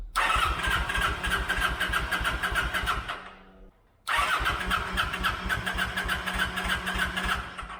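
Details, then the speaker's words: 2008 Kawasaki Vulcan 900 Classic LT, first start attempt after 8 years, with a new battery and fresh fuel. The fuel pump primes a few seconds, then steady cranking at about 200 rpm with no firing at all. "yeah it's not firing the fuel pressure it kicks on for a few seconds there and then stops"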